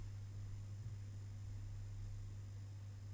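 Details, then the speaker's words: Homebuilt 1980 UPS inverter, power amplifier fed a 50 Hz input from about 15 V, 60 W idle draw, up to 230 W output: loud steady low hum with faint high whine, worse when driven harder; abnormal oscillation, cause unclear. "and here it sounds like it's going to explode because some oscillations we've got also some nasty stuff and when I try to drive it a little bit harder sounds really really bad"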